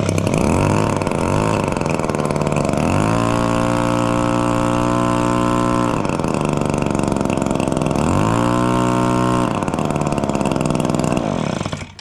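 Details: Echo PB265L backpack blower after a complete service (carburetor replaced after flooding, new NGK BPM8Y plug): small two-stroke starts clean, idles steady, revs up twice and settles back smoothly; even firing throughout, running healthy.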